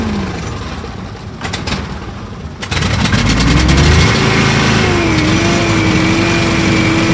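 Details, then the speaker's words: Argo that wouldn't start after sitting all winter, fixed with an upgraded carb and a replaced faulty fuse feeding the fuel solenoid: catches after a few cranking bursts, then a steady, even idle with no misses; normal idle. "Oh, you don't know how good that sounds. Good God."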